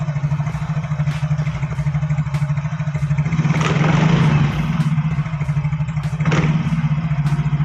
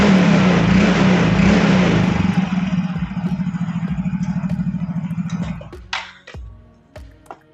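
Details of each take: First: Yamaha Fino automatic scooter, camera close to CVT: smooth idle, then loose irregular rattle swelling when throttle is snapped; suspected worn CVT parts such as slider pieces, face cam boss, CVT case or secondary pulley bearings, not confirmed; dual pin found loose. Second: Yamaha Fino automatic scooter test ride after CVT service: pulls away and revs smoothly with even engine pulse and no shudder; clutch judder cured, attributed to dirty clutch shoes or clutch bell at secondary pulley.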